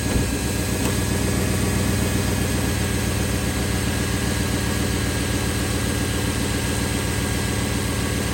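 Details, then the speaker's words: Jeep WJ at idle after greasing the sealed idler and tensioner pulley bearings: steady, even idle with a smooth low rumble and no chirp or squeal from the belt area; the chirp is gone. "No more chirpy bird."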